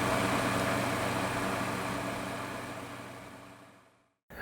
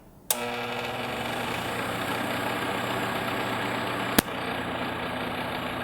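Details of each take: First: Honeywell TurboForce HT900WMD fan after cleaning dust from motor and spindle bearing guides: smooth even hum with no clicking or rattle, fading as the fan winds down, quiet as new; normal fan running. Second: Honeywell TurboForce HT900WMD fan before repair: steady motor hum with rattly clattering edge, caused by dust in the motor spindle bearing guides and lack of lubrication; fix is disassembly, cleaning and oiling; fan motor clattering.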